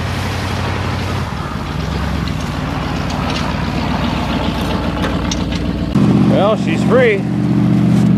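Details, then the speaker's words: 1978 Ford LTD, still cold after a -10°F start: steady, fairly quick idle with an even low rumble that holds speed without settling down, high cold idle. "a bit high but see if we can go for a quick spin hopefully I don't run out of [Music] gas"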